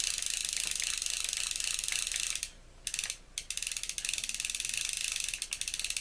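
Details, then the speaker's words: Ocean City 920 level-wind fishing reel after disassembly, cleaning and lubrication (cracked side plate): fine, even ratchet clicking runs steadily with one short pause and no catching or hitching; the reel now turns smoothly. "But it turns nicely now. There's no more of that catching and hitching that was going on there."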